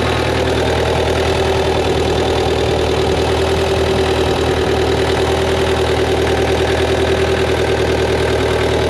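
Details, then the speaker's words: JLG lift diesel engine, bought as a bad engine, after parts refitted and fuel pump swapped: steady, even diesel clatter at idle with no misses or surging; sounds much better than the other engine, normal idle. "don't man this one sound a heck of a lot better than the other one that's crazy"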